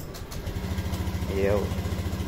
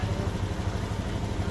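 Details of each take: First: Honda Beat fuel-injected scooter after fuel pump replacement, body panels refitted, idling while checking engine data: steady, even low putter with no misses, knocks or hunting; RPM fine. Normal idle after repair. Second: Honda Beat fuel-injected scooter idling with fuel pressure only 20 psi versus normal 40 psi; fuel filter very dirty, weak clogged pump suspected: low putter at idle with faintly uneven, lumpy beat, misfiring. Low fuel pressure before pump replacement.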